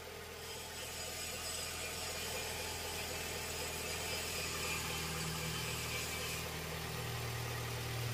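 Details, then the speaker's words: Toyota Innova (1TR engine) after repair for vibration and no-throttle-response complaint: steady, even petrol idle with calm hum, no shake or knock; engine now running smoothly. "Oke, aman. Tidak ada lagi getaran. Yah, sekarang sudah tenang."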